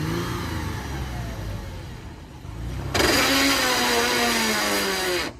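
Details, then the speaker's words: Toyota Land Cruiser Prado after a hard off-road run: a loud roar and rising whine under load, then a sudden cut-off; forward gears lose power, reverse is fine; a broken differential ring or planetary gear is suspected. "老表们，这霸道刚刚冲了一把，发出这种异常的声音，更的，咋回事？我刚刚听的声音不对啊，以我3年的越野经验，这声音不对"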